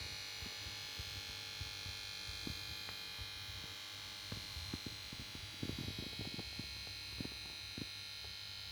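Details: Samsung plasma TV PS42A410C1XBT sits on standby and plays startup melody at switch-on, then won't start; faint steady hum with crackles and clicks from the power board, no picture.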